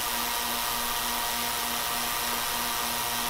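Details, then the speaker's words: Small 6000 mg corona discharge ozone generator with its cover off: a steady electrical buzz as it turns on, then airy fan hiss with a blue-purple glow at the plates. Normal operation. "turn it on you can hear that buzzing then you hear the fan power up you see that just kind of blue glow purple glow there"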